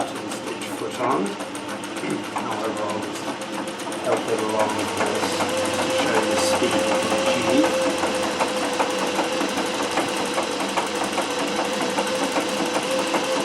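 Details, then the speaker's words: Singer 411G sewing machine on a treadle with a custom heavy balance wheel, original clutch removed. Slow stitching with soft, even needle clatter at a controllable pace. The heavy wheel now gives perfect slow control; normal smooth running. "of course here's the level of slow control that I can now get which is perfect"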